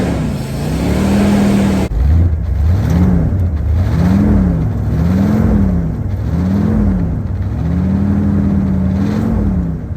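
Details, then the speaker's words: 1986 Ford Bronco 351 Windsor four-barrel V8, sat about 15 years, first run on fuel poured into the carburetor: a smooth, even idle and clean blips without clatter or misfire. Healthy, with a little smoke expected from debris built up in the exhaust. "all right she runs good deal little smoke but to be expected with all the crap that was probably built up in the exhaust"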